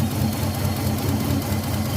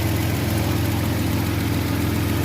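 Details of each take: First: Older Nissan Maxima at idle: lumpy uneven idle with heavy low shake and dropped beats; two ignition coils not firing, no signal from the ECU, traced to a failed ECU ignition driver chip. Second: Older Nissan Maxima: steady, even low hum at idle with no stumble or dropped beats; smooth, settled idle.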